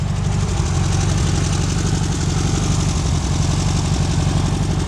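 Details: 2010 HMDE trike with VW flat-four, runs good: steady, even idle with a low thrum and no knocks or misses; engine running fine.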